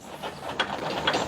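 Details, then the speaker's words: 1987 Honda 250X ATV, about 35 years old and sitting for 10 years, engine not running: loose, uneven rattles and sharp clunks as the front end is worked; worn front suspension bushings and bearings, everything beat up and loose. "everything is just so beat up worn out and tied here"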